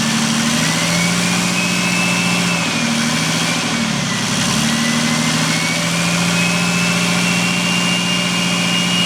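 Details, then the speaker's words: Nissan Patrol TD42 diesel with newly fitted Thai-built F66 turbo, wastegate not yet set up, untuned: idle with a clear whistle climbing and falling on each throttle stab; turbo spools freely and sounds healthy. "Once that wastegate is set up and we hear that whistle and then it dumps, holy crap. Now that's why I wanted to try this setup, because that did not have any trouble spooling up."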